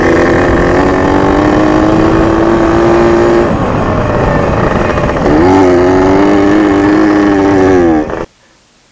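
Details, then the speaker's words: Junkyard Yamaha PW80 two-stroke after rebuild (carb kit, Boyesen reeds, new clutches), during break-in: the engine note sags and labours under throttle before cutting out. It bogged so badly only first and second gears were usable; the owner suspects fuel mixture or a vacuum leak. "as you can tell from the video the thing bogged really bad like I didn't even you have I wasn't even able to use their gears only first and second"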